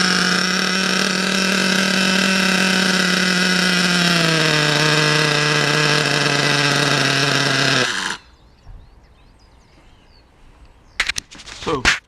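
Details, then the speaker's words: RC nitro car engine, bought new about 6 months ago, unused for a month and hard to start; after fresh fuel and adjusting the high-speed, low-speed and idle needles, a high buzzing run holds a steady note, drops slightly, then cuts off cleanly. Normal running. "as you can see all of those things I did uh Ena it to start running um it's a pretty R breast machine"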